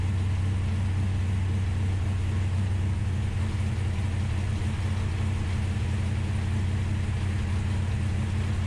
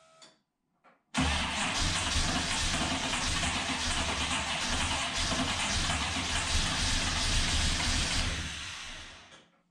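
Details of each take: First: Ultima GTR that sat unrun for 7 years in a warehouse, restarted once oil pressure was confirmed and still cold. Deep, even burble at a steady idle with no knocks, misses or ticks; primary temperatures checked fine: normal idle. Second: Ultima GTR supercar sat 7 years in a warehouse, very cold first start: several seconds of loud, steady cranking before the engine catches, then tails off; oil pressure present, didn't rev well cold, extended cranking.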